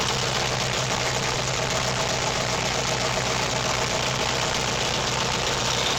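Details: Engine on self-built MegaSquirt 2 v3.0 standalone with MS Extra code, cranked with laptop monitoring: settles into steady even run, constant hum, no misses, stumbles or knocks; healthy start and idle.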